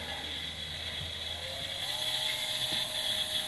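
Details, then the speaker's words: 220V 72W micro variable-speed electric drill/rotary tool with a planetary gearbox, running in forward rotation. A steady high whir with light, uneven gear chatter as the gears take up backlash; normal gear noise. "then you can hear the gears cancel any backlash it's an interesting thing"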